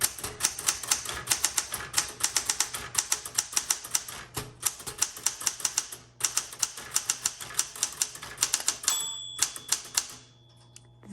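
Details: 1967 Smith Corona Classic 12 typewriter: crisp, even key strikes at a steady pace with clean bell and carriage sounds, keys smooth with no grittiness, though two keys need waking up; normal typing action.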